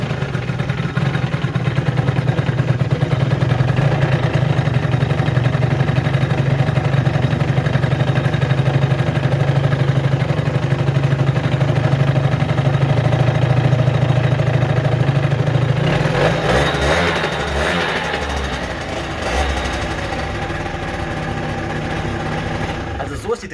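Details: Peugeot Jetforce two-stroke scooter holding a steady, even idle with a low buzzing pulse during the carburetor base adjustment.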